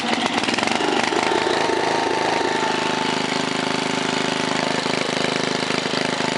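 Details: 1968 Briggs & Stratton 7hp 275cc horizontal single-cylinder, all original, started cold on choke, run from about 1600 rpm to full throttle unloaded: steady, even chatter, no misses or knocks; full throttle may need a tiny adjustment; normal running.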